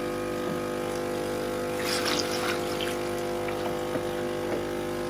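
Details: Nespresso Gemini CS203 coffee machine, repaired, during the long descaling program: constant pump drone with water gurgling and trickling, no rattles or strain; pump working normally.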